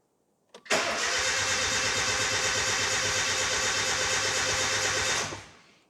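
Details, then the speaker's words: Nissan 910 Bluebird wagon, rebuilt engine first turned on the key, out of gear; fast, even starter whirr spinning the engine about four seconds, no catches or grinding, sounds healthier than before; normal cranking. "That actually sounds pretty healthy. Sounds better than it used to."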